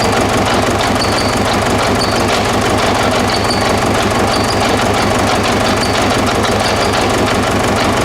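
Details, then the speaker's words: 2009–2010 Ford Ranger (Mazda BT-50) 3.0 L common-rail turbo diesel, started on external fuel spray: loud, lumpy idle with an uneven thump; cylinder 1 misfire traced to the number 1 injector; rail pressure about 38 MPa. "Injectors are working, however there is a misfire and we already addressed that. The number one injector has some problem."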